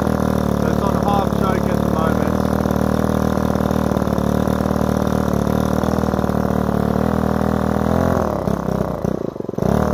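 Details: Repaired Ryobi two-stroke strimmer started on choke after priming the bulb, carburettor screw given a quarter turn; fairly steady buzz then sags and stumbles near the end as if to stall; unstable, blubbery idle, owner thinks fine tuning will fix it.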